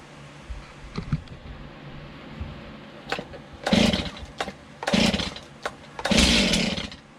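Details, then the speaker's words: Stihl MS291 chainsaw after a new bar, chain and service kit; several pulls on full choke each give a short sputtering burst that dies at once; it wants to fire but won't run. Half choke to be tried next. "like well you guys heard it sputter wants to kick"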